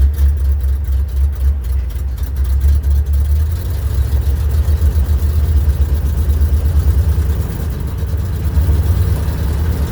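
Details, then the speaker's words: 1967 Ford F-600 dump truck, likely 330 medium duty industrial engine with electric fuel pump: deep, even low rumble at idle with no misses or knocks, running smoothly and healthy. "There She Goes dump in her Works she needs to be cleaned up probably do something with the seat get it reuler and there she go listen to that old girl he old but a goodie"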